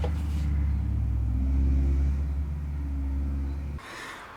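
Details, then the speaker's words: Dodge with Chrysler 9.25 rear differential, previously rebuilt, driving after cover regasket and refill: droning gear howl varying with road speed, on coast and acceleration; ring and pinion too worn, gears and carrier need replacing. "the bad news is those gears are so far gone that we still have the noise it comes on at coast the noise comes on when you're going forward like getting into the gas"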